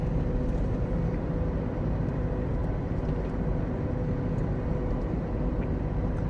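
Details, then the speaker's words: Mud-terrain tyres on a Suzuki Caribian being towed behind a Revo at about 70–80 km/h: a loud steady roar with a droning hum around 500 Hz, clearly noticeable above 50 km/h. "ที่ได้ยินนี่คือเสียงยางตะขาบนะครับที่ใส่อยู่ในรถซูซูกิคาริเบียนนะค่ะวันนี้ก็คือ1ข้อเสียนะครับของยางตะขาบนะที่มันมีเสียงที่ค่อนข้างดังไม่ใช่ข้าครับเสียงที่ดังมากๆเนี่ย"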